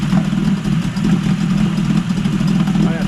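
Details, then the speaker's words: Yamaha 20A two-stroke outboard (1972–78, about 50 years old), after a full service and running cold. Steady, crisp two-stroke idle with no misses or knocks and a good tell-tale flow: healthy engine, idling slightly high while cold. "really healthy engine for the age of it now 50 years old so I'll just leave that running for a bit that's an idle I mean it does sound like it's iding a little high"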